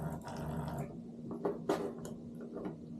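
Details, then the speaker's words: Known-good Simagic P-HPR Neo pedal haptic (unit ending I64, the control) on the clutch port of a P2000 haptic control box: coarse low buzz lasting under a second, then handling knocks; even vibration that feels and sounds as it should. "give it a good test let it shake around a little bit it feels good it sounds good this is how the haptic should feel on the clutch"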